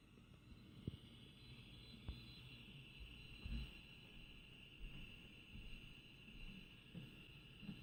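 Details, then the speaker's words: Home-built direct conversion receiver for the 40-meter band, after an AF amplifier hum fix: a quiet, even hiss with a low rumble and faint ticks and blips, with some CW faintly audible; normal static. "I don't know if you can hear that that is just static and actually if you're listening carefully you can hear some CW"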